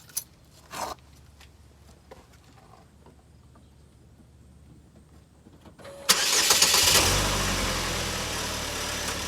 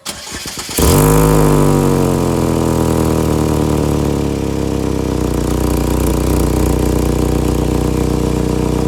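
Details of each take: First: 2012 Chevy Equinox after temporary sealant fix of a cracked exhaust pipe behind the passenger door, cured 30 minutes: engine cranks, catches and settles into a smooth steady idle, no leaks felt, quieter than before the repair. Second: 2012 Chevy Equinox starting and idling with a loud, raspy, fast-pulsing rumble from a cracked exhaust pipe behind the passenger door area, before a temporary fix.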